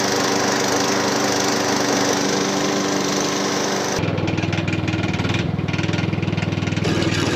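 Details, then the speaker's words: Hayter Harrier 56 Pro lawn mower that needs carb spray to start: rough running with a regular knock about four per second over the drone, a knocking fault somewhere in the engine. "yeah definitely some kind of knocking interesting"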